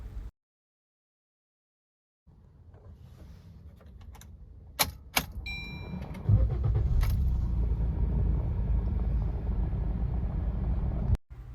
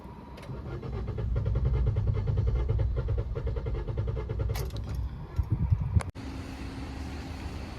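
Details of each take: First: 2022 Maruti Swift petrol, about 50,000 km, with low mileage, long cranking and misfire, started after the injectors were serviced: a few clicks, then catches at once into a steady, even rumble; normal start and idle, fault blamed on bad fuel. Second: 2022 Maruti Swift petrol, about 50,000 km, low mileage complaint, restarted after two hours parked: long steady cranking about four pulses a second, roughly 10 cranks before catching; hard start from leaking injectors, all four replaced.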